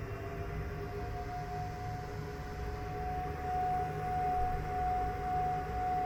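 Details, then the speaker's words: Pecron E3600LFP power station while solar charging at about 1500-2000 W: charging cooling fans whirr steadily at a higher pitch around 700 Hz over a low hum; normal but potentially annoying. "so you can see there is kind of a higher pitch rotating noise um I could see how that'd be annoying for some people"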